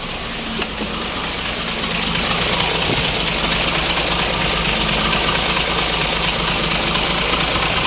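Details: Diesel engine with fault code P1094, stalls in traffic: idle clatters unevenly and rises and falls instead of holding steady; idle hunting, check engine light on.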